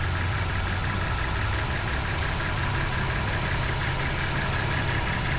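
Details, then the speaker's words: Ford F150 idling: wiggling the loose, worn alternator connector makes the charging load cut in and out, giving a brief idle sag each time; intermittent idle drop from a faulty alternator connector. "Yeah, I can hear it every time I wiggle the wire coming undone. Hear the idle change cuz it's coming from charging."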